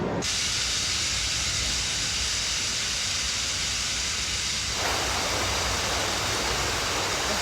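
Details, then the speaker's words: Large dam pipe being filled gradually with water through a smaller pipe; the last of the air at the top is pushed out through an escape valve, giving a loud steady hiss that brightens partway through as the flow changes. "I can now hear a different sound starting and that's the last of the air in the top of the pipe being shoved out by the water there's an escape valve up there and you can hear it hissing"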